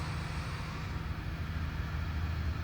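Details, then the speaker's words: 1999 Lexus ES300 first start after reassembly following burnt-valve diagnosis on cylinder six, fuel system primed: steady even low rumble, no knocks or ticks, idle slightly high in park, may need to relearn; normal idle. "Listen to that, man. She idles nice. No more noise, nothing. Just happy as can be."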